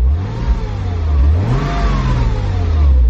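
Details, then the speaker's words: 1999 Porsche Boxster that sat for years: clean rev rising and falling smoothly with no rattle or miss. It runs perfectly fine. "you leave for five minutes and boom runs perfectly fine"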